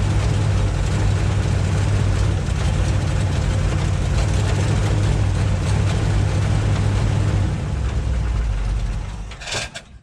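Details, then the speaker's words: 1958 Chevy Biscayne first running after years of neglect: deep, uneven idle with irregular pulses before dying away; runs rough, owner plans to check firing order and carburetor. "well what says you did you got the old pig running we do and it runs rough at least for my area it's quiet too like really quiet"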